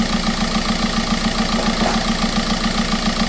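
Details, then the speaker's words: TDI turbo diesel in donor car, open junky air filter, timing belt done, near 300,000 miles: even diesel clatter at steady idle with intake hiss, no knock or miss; normal diesel idle. "rning good starts up just scater diesel noise know it's excessive flatter or kicking knocking nothing like that"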